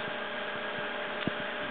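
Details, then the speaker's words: 6-inch 12 V fan, stock, on a bench power supply at about 8 V drawing about 0.7 A: quiet, even hum with soft whoosh, no ticking or scraping; normal running at low voltage. "Okay, so stock standard at about 8 volts. It starts running at 0.7 [Applause] um amps."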